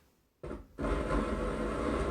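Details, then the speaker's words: 4.1 home theatre with a humming complaint: silent, then a steady rough hiss with a low buzz once the rear extra speaker is connected, volume at zero and no signal. The amplifier IC for that channel has failed. Amplifier IC fault causing hum and hiss. "Connect ಮಾಡಿದ್ರೆ ಇವಾಗ ನಾನು speaker sound ಕೊಟ್ಟಿಲ್ಲ, but noise ಬರ್ತಾಯಿದೆ. ನೋಡಿ ಕೊರ್ರ ಅಂತ sound ಬರ್ತಾಯಿದೆಯಾ. ಒಂದ್ರಲ್ಲಿ ಆ ಕಡೆ ಹಂಗೆ ಬರ್ತಾಯಿದೆ, ಇನ್ನೊಂದರಲ್ಲಿ ಐಸಿ ಹೋಗಿದೆ."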